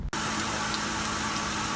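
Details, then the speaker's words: Ford Grand Marquis 4.6 V8 after fixing intake coolant leak and cylinder 4 misfire, running 10 minutes: smooth even idle with no stumble or missing. "it's running perfectly stop missing it anyway so looks like I fixed the problem"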